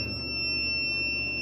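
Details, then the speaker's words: Snadi 3 kW inverter, battery 26.5 V and charging, output normal, not muted: single high-pitched beep sounding continuously with no pattern. Battery ruled out; cause not yet found. "So aalamin natin guys may output naman siya normal naman yung kwan niya may output siya at saka yung beef lang talaga niya ang problema palaging nagbi-beep."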